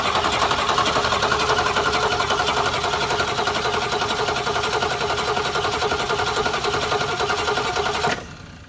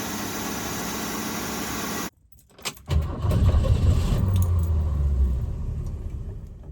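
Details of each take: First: 1966 Mustang, 200 straight-six with a Holley 1-barrel carb, just reinstalled after a repair attempt. It cranks steadily for eight seconds without firing. The owner thinks the needle-and-seat valve is stuck, starving it of fuel. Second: 1966 Ford Mustang 200 straight-six after repair of its Holley one-barrel carburetor, the cause of a no-start; the needle and seat still isn't quite right and will be replaced. Engine catches and settles into a steady, even low idle with no misses.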